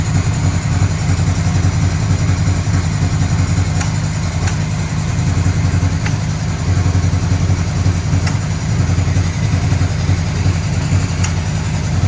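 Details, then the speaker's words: 1985 Yamaha Vmax V4 first start after rebuilt carburettors, new leads, coils, plugs, fuel filter, boots, V-boost manifolds; cold on choke: uneven chuffing idle with faint pops, blowback through one carburettor. "i'm getting a little bit of blowback through this one here but i just want to let it run for a while"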